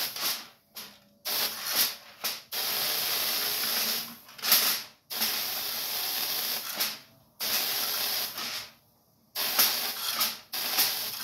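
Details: Ion lifter with foil folded over box edges as sharp points, top and bottom plates, no wire or skirt: sharp, airy hiss switching on and off in bursts as high voltage is applied; corona discharge, explaining low thrust.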